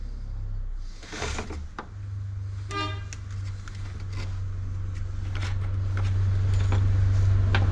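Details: Hyundai 450 chainsaw, which stalled during cutting, after carburetor diaphragm replacement: steady even two-stroke buzz firming toward the end, no stumbling or surging; saw runs properly.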